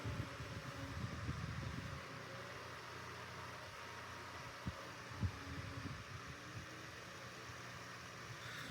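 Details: Vornado 133 5-inch compact air circulator after cleaning and maintenance, on high (about 10.5–11 mph airflow): steady rushing air over an even low motor hum, no rattle or ticking; runs smoothly.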